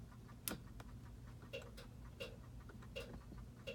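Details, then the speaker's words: 1968 Ford Galaxie 500 convertible: one crisp click as headlights come on from relays added under the hood to drive them, then light even ticking at quiet idle. Normal headlight relay click. "I put a couple of relays under the hood and so now when you turn them on there are relays to click on under the hood that actually drive the headlights you may be able to hear that"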